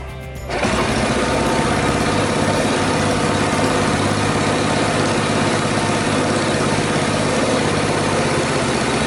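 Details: Honda Super Cub, reassembled from parts, started after carburetor cleaning for overflow and after earlier strange cam-chain tensioner noises; catches quickly and holds an even sewing-machine patter without tapping or rattle, normal idle.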